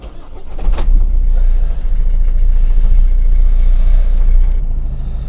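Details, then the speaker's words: Volvo V50 1.6 D2 diesel (Ford 1.6 TDCi/PSA HDi unit), warmed up, with one injector unplugged to test it; loud, lumpy, stumbling idle as a cylinder drops out, power loss and service warnings shown; misfire with the injector unplugged, injector to be replaced. "So the engine runs, but it's really rough."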